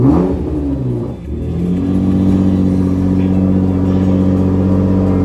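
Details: 2018 Nissan GT-R first start after DIY battery replacement: engine blips once, dips briefly, then settles into a steady, even idle with no clatter or misfire; healthy.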